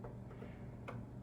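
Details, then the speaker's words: Amiga 1000 just unboxed: with no disk inserted the floppy drive makes faint, irregular dry clicks over a quiet hum as the head steps searching; a supply rail reading an odd 3.5 V is still to be researched. "Floppy drive sounds like it's looking for a disk, so I'm gonna do some research about that 3.5 voltage."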